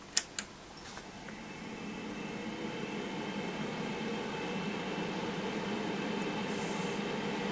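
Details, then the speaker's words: HP 3561A dynamic signal analyzer powered up in its casing after repairs: two clicks, then the fan spins up to a steady whirring hum with a faint tonal drone, still noisy; fan replacement planned. "marginally still pretty noisy yeah"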